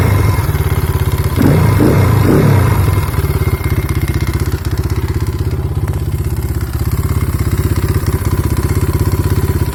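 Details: Kayo T5 engine at steady idle: a dull, regular knock about three per second rides on the low engine note. There is a knock in the motor; the cause is not yet known.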